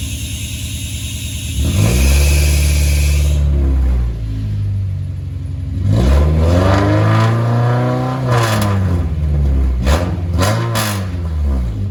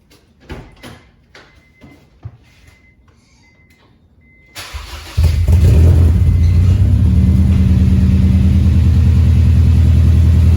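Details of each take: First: 2001 Honda CR-V RD1 with exhaust pipe rusted out just in front of the muffler, to be fixed with a welded-in pipe section: revs rise and fall with a loud, raspy, blatting exhaust note far beyond stock; exhaust leak. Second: 2001 Honda CR-V RD1 after welding the exhaust: starter cranks briefly, engine catches and settles into a steady, fairly loud idle with even exhaust pulse; normal exhaust note after repair.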